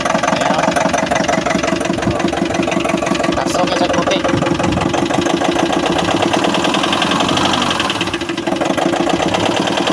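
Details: Nissan NV350 van engine idling with a steady, heavy knock about three times a second; after earlier injector and intake manifold cleaning, teardown found a holed, damaged piston.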